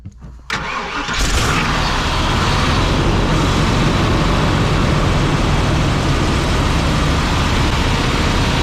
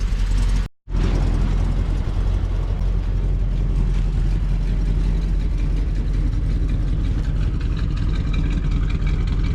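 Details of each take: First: 1987 Class A Coachmen motorhome gas engine started cold after pumping the gas pedal: cranks, catches, then runs rough and uneven with no fast idle because the automatic choke doesn't work; cold-blooded hard start. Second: 1987 Class A Coachmen motorhome engine, around 74,000 miles, uses very little oil, warmed up: smooth, even low idle with no knocks, misses or whine; transmission fluid checked clean; healthy warm idle.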